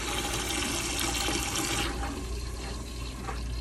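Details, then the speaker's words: Hydronic radiant heat loop with no temperature rise: water and air gush and spit into a bucket while trapped air is purged from the loop; water turns hot afterward. "we have no temperature increased something's not flowing here so what i think we should do let's get a bucket and we're gonna have to try to purge"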